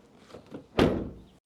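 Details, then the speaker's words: Car door closing after realigning a misaligned, bent fender that had rubbed on the door: one solid, clean thunk with no squeak or rubbing. Normal door close after repair. "So we used to hear a sound. Now door fixed. No more sound, right?"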